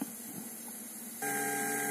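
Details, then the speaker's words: Polytron compo with a Bluetooth MP3 module added: quiet hiss, then a steady buzzing hum cuts in and holds while the 1000µF 16V filter capacitor on the supply is disconnected; fitting the capacitor removes the hum. "tersebut bisa hilang kalau kita pasang Elco ini ini adalah elko 1000 mikro farad 16 volt fungsinya sebagai filter tegangan atau penyaring tegangan"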